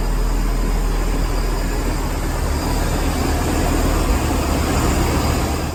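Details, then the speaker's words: Hummer H3 started right after fitting a new 67MF replacement battery (old one had gone flat and died); steady low rumble settling into an even idle, no knocks or misses, all working with no problems. "There you go, it's all working. No problems at all."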